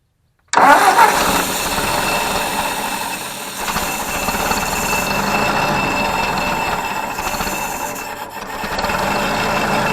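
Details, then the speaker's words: Ford 641 Workmaster tractor, sat at least 10 years, first start with replacement alternator: engine catches and runs rough with raspy scraping from the belt rubbing the alternator fan due to bent brackets. "I want bend the alator brackets on the belt is rubbing up against the fan on the alator that's what that noise is"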